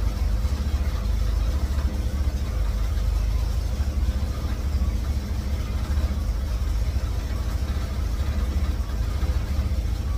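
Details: 1954 GMC COE with GM 4.3L Vortec, cold start on new spark plugs while setting timing: deep idle with a lumpy, uneven pulse; ignition timing set too far advanced.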